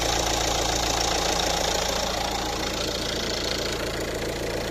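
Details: Renault with a no-start and fault DF116 camshaft sensor circuit no signal, in a camshaft sensor replacement job: steady, even idle at about 3.5 beats per second with no misfire or stumble; the engine runs normally.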